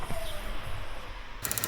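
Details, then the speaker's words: 2016 GMC Canyon, engine running: fast, sharp steady ticking with strong vibration from the failing EVAP purge valve solenoid, causing rough idle and stalling at stops; to be replaced. "this is the noise that this thing keeps making. That crazy ticking noise is this guy right there. Put your finger on it, you can feel it vibrating like crazy."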